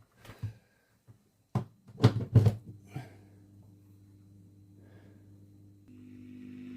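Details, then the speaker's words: 1965 Wem Custom 15 valve amp after cleaning the tube sockets (12AX7/ECC83), on a bulb limiter drawing 260 mA. Handling clicks, then a faint steady hum with higher buzz; much better but still noisy. A plate resistor change is planned. "That one's fine now. They're a lot better, but there's still something."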